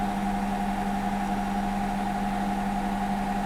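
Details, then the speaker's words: Hotpoint NSWM 1043C W UK N 10 kg inverter-motor washer, street find reported as ticking, four minutes into the spin on a 50°C rapid cycle with 1000 spin: smooth steady hum and whine with no ticking or rattling; normal spin. "four minutes spinning nicely I think it could go faster it's not ticking it's not rattling it's not shouting at me"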